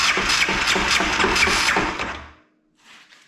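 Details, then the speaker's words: 2001 Yamaha Kodiak 400 ATV after new starter clutch and starter reinstalled: harsh gritty grinding pulsing about three a second while cranking, unchanged from before repair; owner unsure whether starter or one-way bearing. "sounds about the same I honestly don't know if it's starter one-way bearing darn it"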